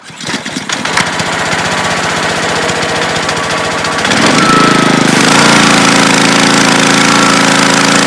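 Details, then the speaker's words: Honda-powered Ryobi 3100 PSI pressure washer started on choke: rough firing settles after about four seconds into a steady, even idle; the low-idle kick-down is thought to be triggered by a thermal sensor once the engine warms. "it triggers the loyal kick down once the engine feels it's warm enough to hold a little idle"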